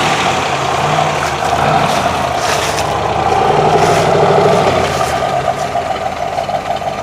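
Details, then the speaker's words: 1965 Chevrolet Corvette Stingray, L79 327 350 HP V8, M21 Muncie four-speed, hood up, original 52-amp alternator refitted; steady even idle with smooth low burble, no knocks, misses or hunting, normal idle. "sounds really smooth yeah it rides nice i'm real happy with it"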